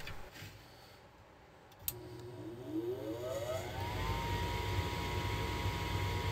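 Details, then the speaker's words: Goodman gas furnace failing to ignite, multimeter on the igniter supply leads during a cycle: inducer blower spins up with rising hum to a steady drone, no igniter click or burner whoosh; control board sends no power to the igniter. "to ignite the furnace Well the control board isn't sending any power when it's time to ignite the furnace."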